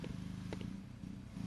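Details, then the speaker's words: Riding mower Kohler engine after installing an electric fuel pump, fuel filter and pressure regulator, key turned to on: quiet, low steady buzzing pulse with no catching or rattle; pump priming normally, no leaks. "see if we got fuel and see if it leaks here we go all right now we're dry up top well if that's not the most beautiful thing on this tractor I don't know what is"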